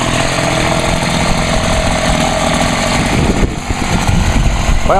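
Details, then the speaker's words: Homelite HT-21 hedge trimmer, first start after carburetor rebuild with no adjustment needed: the small two-stroke fires and holds a steady, even, fairly quiet buzz at fast idle, with clean rev blips near the end. Running well. "I'm Ashley surprised how quiet that thing really is got a pretty small buffer on it"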